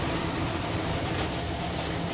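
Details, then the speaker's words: ILG B-30 universal blower running at its preferred speed setting: a constant airy rush with a low steady hum, no rubbing, rattles or speed swings; normal running. "still flowing quite a bit of air and now i'll just bring this back to my preferred sweet spot where i like to run it and now we're back to this again"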